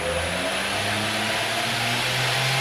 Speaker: man it run so smooth look at that look that a monster can it's running man I like it